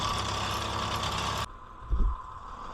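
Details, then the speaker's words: 1978 Ford A64 wheel loader just bought: a steady, even idle with no knocks or misses, and full oil pressure shown. "Engine sounds good. It says that we've got all the oil pressure."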